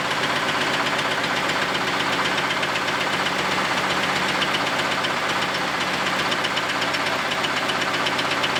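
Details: Camaro V8 first run after a quick weld of the exhaust Y-pipe, running terribly: a hard, steady knock of about four per second clattering over a rough idle; serious internal knock, cause not found.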